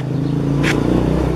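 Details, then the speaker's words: Vespa two-stroke engine running after only connecting the points (platina) wire to the coil: short burst of steady buzzing beat with no misfire; engine runs normally. "Ini mesin udah bisa hidup."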